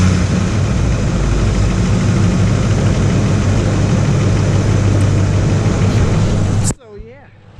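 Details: 2005 Ford F-150 just after a Spectre cold air intake install (earlier start attempt sounded wrong, fixed): engine catches and settles into a steady, even low idle with no misses or knocks; starting and running properly now.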